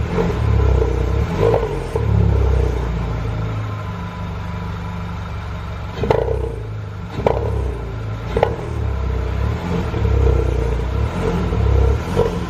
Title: Barulho estranho no motor THP #Shorts#